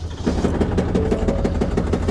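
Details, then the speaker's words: 2024 Ford Super Duty Power Stroke diesel pickup with 10,000 miles at idle: sharp, regular knocking about six times a second, deep internal knock, engine failure suspected, exact cause unconfirmed. "Oh, yeah. That ain't supposed to sound like that. 10,000 miles on it, bro."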